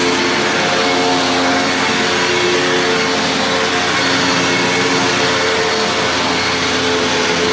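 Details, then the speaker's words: Hoover WindTunnel Plus upright vacuum, over 20 years old, original belt with good tension: even, steady motor roar with constant pitch, no rattles or surging; motor runs normally, though the brush roll sounds rough on wind-down. "So you can hear the motor sounds great."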